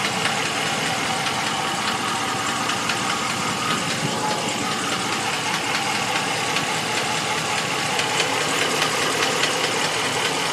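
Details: 2014 Ram 1500 at idle: light, fairly irregular ticking knock over a hissy background; owner calls it a valve train knock, source unconfirmed.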